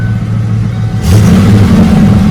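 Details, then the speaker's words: 1993 Ford Mustang GT 5-speed manual V8 with a smoking problem and suspected blown head gaskets, worked on injectors, idling: deep steady burble with even beat, smooth light rev blip, no stumble or misfire; normal idle. "It runs very smooth. God, it's running smooth right now."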